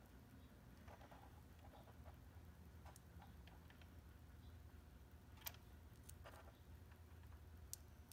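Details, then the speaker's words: Märklin SK 800 toy car (about 1945), restored motor run under power, running slightly tight. Faint irregular sharp clicks over a low hum, blamed on the linkage, with a loose wheel slipping on its drive gear. "yep that clicking noise is because of the linkage"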